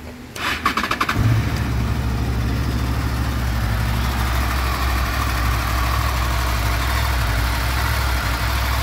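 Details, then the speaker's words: Honda VFR800 VTEC V4 at 58,200 on the clock before cam chain replacement: brief crank, then a steady cold idle with a light metallic rattle on top, heard mainly on the right side from the front cylinder, timing chain rattle. "причем звук хорошо слышен с правой стороны в основном идет с переднего цилиндра потому что здесь практически его не слышно"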